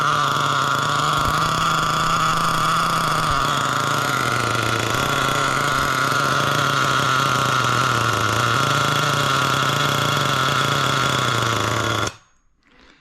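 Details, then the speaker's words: Losi LST XXL nitro truck, barely run since purchase: engine burbles unevenly at idle, lumpy and soft, then cuts out; still running super rich, owner thinks the needle went too rich or maybe the idle gap, tuning in progress. "yeah see so she's still Super Rich so maybe I went a little too rich on the needle maybe it was just the idle Gap but we will We we'll hone it in here"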